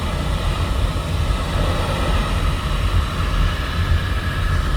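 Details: Home oil-fired boiler burner restarted after running out of oil, refilled and fuel line bled: deep, steady roar with low rumble, no surging or pulsing; burner lit and firing evenly.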